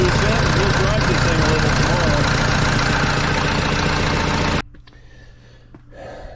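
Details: Case 188D diesel tractor on first fire-up after a full rebuild and injection pump reinstall, throttle worked by hand, not yet warm: steady, even chug of about four beats per second, no knocks or misses, before shutoff. Normal idle.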